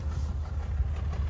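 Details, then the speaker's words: Nissan 300ZX at idle: deep, lumpy idle with uneven pulse and repeated dips as one cylinder drops out, a persistent dead misfire. "fix this misfire that we've been having. It's a dead miss."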